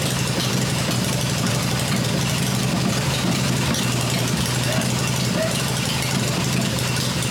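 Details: Freshly rebuilt black Harley Evo V-twin motor idling on an engine test stand with open exhaust: steady, low loping beat with no knocks or rattles; healthy and settled, running as it should.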